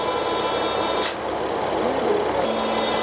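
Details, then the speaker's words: BMW F80 M3 engine idling: thin, steady high-pitched whistle from a torn oil separator diaphragm in the rocker (valve) cover; fixed by replacing with a new genuine rocker cover. "얘는 누유다는이 오일 세퍼레이터의이고 막이 찢어져서 그 삐 이런 고주파음 인해서 이제 교환하게 된 겁니다"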